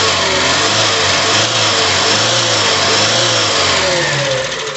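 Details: Ford CHT engine after timing chain replacement fixing chain noise: revs smoothly and evenly with no rattle or chain slap; timing drive sounds healthy.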